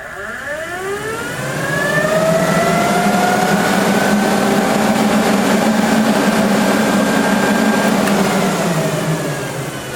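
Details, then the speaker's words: AMC Javelin with new radiator and dual electric fans wired through a relay, thermostatic switch and manual ground override; clamp meter shows over 20 amps inrush, then about 14 amps running; rising whir settling into smooth steady hum, no rubbing; normal fan operation. "you saw an inrush of over 20 amps there and then it likes to run at about 14"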